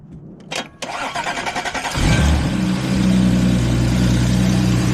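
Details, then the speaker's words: Audi B8 S4, previously crashed, had a multiple-cylinder misfire, after replacing old crusty spark plugs (cylinder six plug black, oil on top, suspected valve cover gasket); cranks about two seconds, catches, settles to steady even idle. Normal start and idle. "she's alive she sounds way better she sounds better oh yeah hear that oh she's m it's actually idling now bro"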